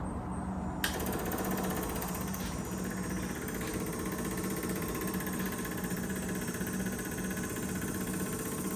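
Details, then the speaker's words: Freshly rebuilt Triumph TR6 engine before first start; ignition on, electric fuel pump gives a rapid, even ticking buzz as the carburettors fill, priming normally with no leaks or flooding. "Okay, I think we're full and there's no leaks underneath, which is good. No flooding."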